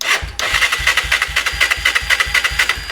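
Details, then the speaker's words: Honda 300EX ATV after wiring melted and caught fire, cranking with a swapped-in CDI of unknown condition: steady whirring cranking with no firing at all; cranks but no spark. "No spark. Huh."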